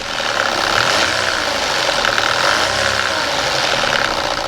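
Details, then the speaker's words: Audi A4 petrol after turbo replacement, noise appearing after a 20-minute drive: fast rattly slapping knock over idle that follows engine speed; suspected stretched timing chain slap, not yet confirmed via camshaft data. "To me, it sounds like timing chain slap."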